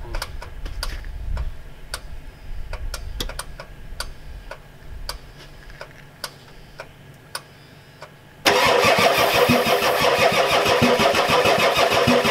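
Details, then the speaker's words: Ford F-250 XLT 7.3L IDI diesel, glow plugs connected, new injectors, ether tried: scattered clicks then steady starter grinding without catching; crank no-start, fuel reaches bleeder screw but not injectors, owner suspects weak injection pump. "Keep straining the fuel back, guys, so won't start. Don't know, we give up. Don't know, doesn't get any fuel through the injectors."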